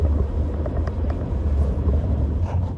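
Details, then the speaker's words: 2012 Toyota RAV4 road test after a wheel bearing replacement: a steady low road rumble with no growl or hum, the bearing now quiet; the old bearing was thought to be coming apart, causing a thumping noise. "so yeah it sounds good I think we fix something again it's always a good day at Gordon's garage when we actually fix something instead of just tear stuff up"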